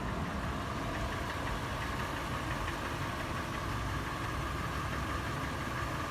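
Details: Toyota FJ after warm start, idling: loud, even sharp metallic tapping through the rumble, faster in park and neutral, slower under load in drive; initial clatter became slower, sharper knocking later; marble-like rattle when slowing below 1800 rpm. Cause unknown.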